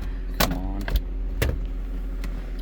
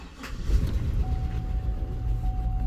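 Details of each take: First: 2005 Cadillac Escalade 6.0L LQ9 V8 after replacing bad injectors and the new plugs they fouled, previously misfiring on cylinder 2: low even idle rumble, no stumble, zero misfires on graph; engine healthy. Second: Cadillac Escalade 6.0L LQ9 V8 with P0300 random misfire (plugs, wires and coil swaps didn't fix): rough, stumbling idle with misfires on cylinders 2 and 6.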